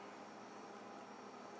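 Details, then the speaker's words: Upright Frigidaire freezer after a part replacement: soft, steady compressor hum with even whir, no clicks or rattles; compressor working, side warm, temperature dropped from upper 80s to 56 degrees in about 10 minutes. "the freezer is actually warm and that lets me know that the compressor is actually working"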